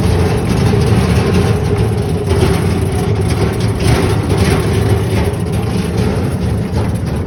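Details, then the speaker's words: Landmaster AMP all-electric 4x4 crew UTV with 160 Ah lithium battery, driving over rough ground and hills; constant fine rattle from the cargo bed the whole time, duct tape didn't help, source not found. "That is the only thing that makes a lot of noise. It just rattles the whole time."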